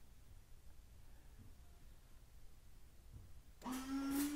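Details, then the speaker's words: Honda Element windshield washer pump commanded on through a Thinkscan 689BT scan tool actuator test: quiet, then a steady mid-pitched motor whir comes in and holds even as it sprays fluid; pump working normally. "washer pump I'm going to make a mess"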